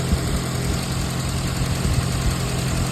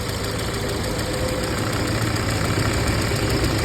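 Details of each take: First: 2013 VW Jetta 2.0L at idle after installing a new radiator cooling fan: steady, even idle with smooth low hum, no ticking or whirring from the fan area; noise gone, normal idle. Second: 2013 VW Jetta 2.0L at idle, AC on so the radiator fan runs at full speed: fan roar with faint uneven ticking as the fan wobbles; radiator cooling fan wobble.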